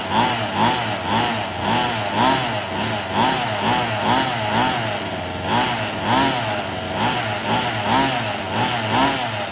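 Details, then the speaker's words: Redcat Rampage XR two-stroke gas rally car, second break-in heat cycle on light throttle: crisp buzz blipping up and down about twice a second, clean and even. Runs fine. "I gave it a little bit of throttle. You know, I just rev it up a little bit. Brum, brum, brum. And man, I gotta admit, it sounds cool."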